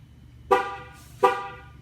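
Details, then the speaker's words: GMC Acadia, Chevrolet Traverse or Buick Enclave tire pressure sensor relearn with tool, last tire (left rear) done: two short sharp horn chirps about three-quarters of a second apart, signalling relearn complete. "after we learned this one you should hear the horn chert and then it'll chirp twice letting you know it's complete"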